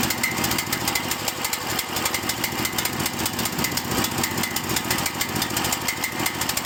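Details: Cael mini excavator diesel: uneven, lumpy idle with irregular chuffs and stumbles, and the engine idles rough and dies.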